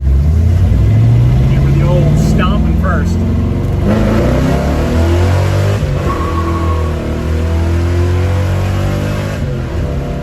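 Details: 1964 Mercury Comet V8 with new FloTek 180cc aluminium heads, Trick Flow Stage 1 cam, Victor Jr intake and 1-5/8" headers, after its startup issues were sorted: clean rising and falling revs, smooth pull with no misses, pops or knocks; running healthy.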